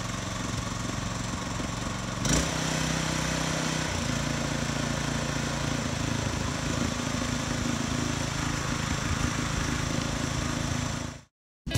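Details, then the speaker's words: New Harbor Freight Predator 212cc on a water pump, on plywood: quick pull, catches and settles into steady, even putter, no misses or knocks; normal start and run, beginning break-in. "But I'm gonna fire it up and let it run for probably 45 minutes, just kind of get a good heat cycle in it and get it broke in."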